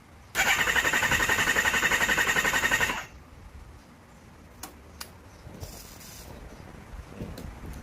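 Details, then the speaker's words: Kawasaki Ninja ZX-10R, hard-starting and now no-start: fast, very even starter whir under three seconds with no firing. Compression test shows cylinder 3 has none (others about 188–192); fuel pressure normal, plugs show no combustion. "เจ้าNinjaZ10คันนี้นะฮะหลังจากที่วัดกำลังอัดดูแล้วนะครับมีสูตรที่3ที่ไม่มีกำลังอัดเลยนะครับ"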